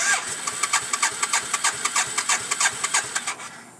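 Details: 1991 BMW K75S motorcycle: steady cranking about three pulses a second with a thin high-pitched whirr, never fires, battery light on; ran then died after a minute on full choke the day before; owner suspects dead battery, unconfirmed.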